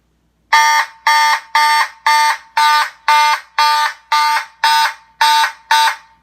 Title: Simplex 2903-9001 Light Plate + Simplex 2901-9806 (Warning Loud Noises!)